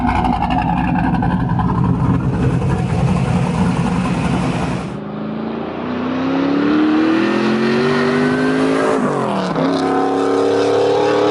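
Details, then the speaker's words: 2000 Pontiac Trans Am WS6 V8 with BTR Stage 4 cam, long-tube headers and Borla catback, after replacing E3 spark plugs: strong, clean full-load pull with pitch climbing smoothly through the gear, no misfire stumble; noticeably more power. "all right so that poll the 10 times harder I'm a little bit surprised at how much more power mated it's noticeable"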